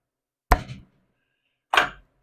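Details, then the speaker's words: 1915 Ford Model T stationary engine cranked slowly by hand: three dull thumps as the crank pin pulls down on the cap, a loose connecting rod bearing; guessed 4–6 thou clearance, to be confirmed on teardown. "So, that right there is well, that amount of thump."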